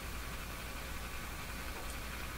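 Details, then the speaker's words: Silvertone 101-583-2 multiband tube radio with overheating speaker field coil, resistor added across field coil, supply raised past about 102 V: low steady hum under faint hiss that seemed absent before; new hum. "there's a hum I don't think that home was there"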